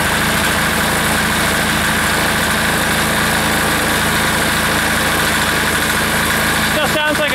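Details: Air-cooled diesel engine just reassembled, running at full throttle: loud, steady clatter with a slightly uneven, wavering beat underneath; rough running, owner suspects it is starving for fuel.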